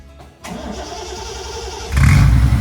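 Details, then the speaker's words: 1973 Triumph TR6 under restoration, freshly fitted Monza exhaust with performance header, started on choke: brief crank, catches at once into a deep, even rumble, clean blips; healthy cold start. "oh wow oh that sounds nice but it just fired right up didn't it"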